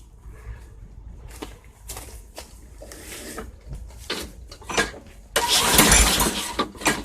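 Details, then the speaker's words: 2006 Craftsman 917.376160 push mower pulled from a junk pile, with thin, gasoline-smelling oil and carb cleaner sprayed into the intake: pull-start, then a couple of loud pops as it catches and dies. Owner suspects the carburetor is toast. "I think I heard it bark a little I believe that engine would run because it barked off a couple of times I'm sure the Currier is probably toast"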